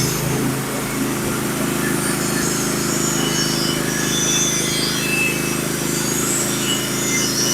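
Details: Norwood HD36v2 bandsaw mill with sharpened Stellicut (stellite) band and new roller guides cutting Red Oak deck boards; steady engine drone under even band hiss, no squeal or chatter, setup cutting cleanly.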